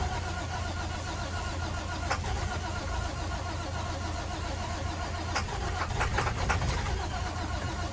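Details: International WorkStar work truck, no-start part 2: the starter turns the engine over in an uneven churn of about three to four beats a second, but it never fires; cranks without starting.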